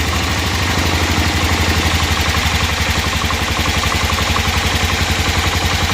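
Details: 1988 Club Car golf cart, 8.5 hp Kawasaki engine, barn find, idle being lowered; small single putters at a low even idle about four pulses a second, steady and smooth, quiet, not smoking, no misses or knocks.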